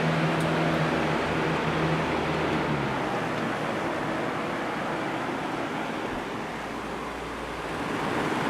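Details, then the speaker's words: Cheap electric fan after repair of a creaking assembly with missing screws: soft even whoosh and steady motor hum, no creaks or squeaks; runs much better though still not perfect. "Let's see what it sounds like. Oh yeah, that's definitely a lot better than it was."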